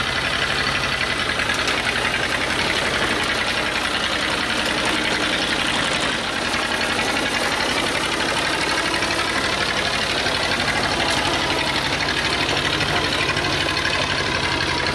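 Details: Old Detroit Diesel two-stroke four-cylinder dozer that sat with one cylinder full of water, warming up at a rough, lumpy idle with stumbles. It misfires on dead cylinders, running on 2 of 4, possibly from stuck valves.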